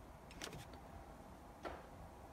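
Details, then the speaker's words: Kia Sorento Mk1 after recalibrating the 4x4 transfer case shift motor, ignition on: quick clicks from underneath, then one more, as it engages four-wheel drive high range normally; low range still does not work. "and you can hear it clicking underneath so it's working okay now we're in four wheel drive"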